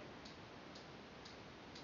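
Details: CBR 2 ultrasonic motion sensor on a TI-Nspire (DataQuest app), measuring a book about 15–18 cm away as it is slowly moved away. Soft, crisp, perfectly even clicks about twice a second over quiet hiss: normal pinging.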